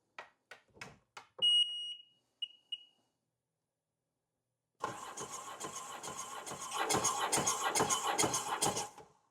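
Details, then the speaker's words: 2007 RXP Supercharged 215 hp jet ski, compression test: starter spins engine fast and evenly with steady pulses, battery charger connected; cylinder one about 130 psi, cylinder two 145 psi; good compression. "okay golly we're one 145 on that one okay so number one 130 number two 145"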